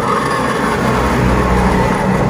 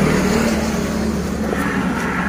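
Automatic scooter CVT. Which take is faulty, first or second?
first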